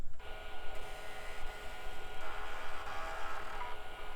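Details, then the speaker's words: Packard Bell Legend PC, 3.5-inch floppy drive removed and tested after seek errors under DOS 6.20: quick, even buzzy stepping chatter with no grinding. Normal seek; the error cleared after the drive was knocked around, and a surface scan found no bad sectors. "Okay, that looked perfectly normal. And now we have no error."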